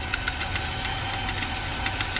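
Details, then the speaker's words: 2018 Ford Expedition Max at startup just after cam phaser replacement: light uneven metallic ticking as a piece broken away from the exhaust heat shield rattles; fixed with a lock washer. "Just got done with the phasers. That right there broke away from that shield"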